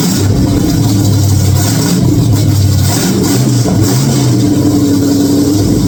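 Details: 1946 Chevy truck rat rod on first start, oil pressure present: steady, even idle with a few clean throttle blips, no knocks, ticks or misfire; running healthy.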